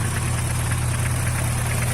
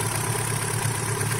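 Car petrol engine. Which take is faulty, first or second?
first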